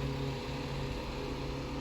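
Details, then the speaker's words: 1950s Electrohome 8-inch desk fan, model 608S, single-speed shaded-pole motor: steady low hum with an even whoosh of air and no rattle or knock. It runs normally and fairly quietly, with a slight shake. "yeah it's a nice little fan it's pretty quiet it looks good there's a good amount of air it's definitely not the most quietest fan for the amount of air moves but considering this was a budget fan it's not bad"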